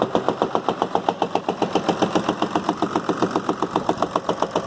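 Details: Cummins 6.7 diesel (medium-duty, rear gear-driven, damaged engine out of truck, started on bench with minimal wiring to check if worth repairing): even, strongly rhythmic clatter about two and a half beats per second, steady throughout; engine running normally.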